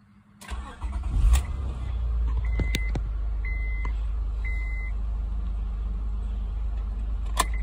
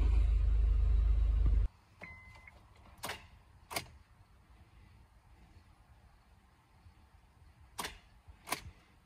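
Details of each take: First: 2006 Honda Accord 3.0L, high mileage, after cleaning the corroded starter solenoid signal wire: engine turns over briskly and catches promptly into a steady low idle; no-crank fault fixed. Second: 2006 Honda Accord 3.0L, high mileage, with a brand-new battery: key turns bring only sharp single clicks, two pairs a few seconds apart, with no cranking. Ignition switch, starter relay and neutral switch tested good, so the starter is bad, with a corroded solenoid wire.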